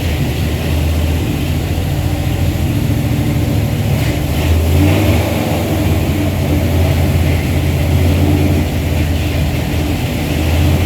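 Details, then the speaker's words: Chrysler 360 LA V8 with a Holley double-pumper carb in an old truck: loud, lumpy idle, speed wandering and sagging as if about to stall, worse than the day before. Owner suspects an intake manifold vacuum leak. "Man, it's gotten worse. What in the world's going on with this thing? I do not know. I'm going to turn the idle up. See if I can get it to at least stay running."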